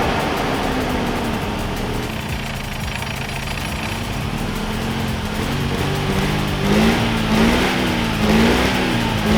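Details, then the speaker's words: Abandoned 1988 Mazda RX-7 rotary, first run after spark fix, on old fuel and low oil: uneven, stumbling idle that surges and sags; misfiring, rough running, owner hopes fresh gas will help. "so hopefully the new gas will help it run better cuz it's kind of running terrible right now and feels like it's misfiri"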